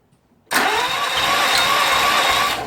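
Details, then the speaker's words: Engine that had sat parked over 18 months is deliberately destroyed by feeding it iron filings until it died. Now cranking, it spins fast and even with no firing and hardly any compression beat. Low compression, top-end damage suspected. "now when we crank it over not a lot of compression going on not good at all"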